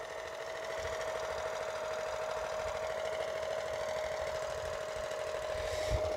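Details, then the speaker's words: HR 194 single-cylinder engine after rebuild, first test run: steady, even, smooth idle with no vibration, but slightly low; owner thinks the throttle should be raised a little. "et ben voilà le ralenti ma foi il est pas mal le"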